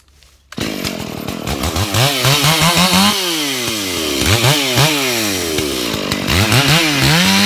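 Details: Stock Stihl MS461, well worn with over a year of cutting, eBay ported muffler, hand-filed round-tooth chain used a week. It screams at high revs through northeastern red oak, dipping and recovering cleanly with no chatter. Normal sharp cutting.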